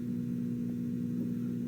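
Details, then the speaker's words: Detrola 4-D tube radio after replacing three electrolytic capacitors, B+ at 336 V, tubes glowing: steady low hum with no station, new since the repair; source not yet identified. "I don't know if you can hear this, but I'm actually starting to get a hum, which I wasn't getting before."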